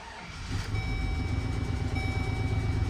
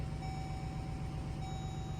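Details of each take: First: 2005 GMC Sierra half-ton (GMT800), 66k original miles, before the injector replacement: a lumpy, stumbling idle. It is misfiring; plugs and wires were reportedly done, so injectors are suspected. It now holds idle, having run worse when bought. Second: GMC Sierra (GMT800) V8 pickup, 66k original miles, at 12°F, just after replacing fuel injectors and bleeding the fuel system: low even idle with a faint steady electronic tone, no stumbling; a possible exhaust leak is suspected; normal idle.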